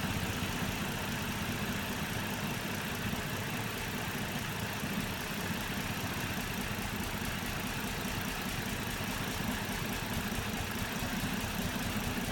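Idle with an uneven, lumpy beat and some irregular knocking under a steady hum; the engine is idling rough.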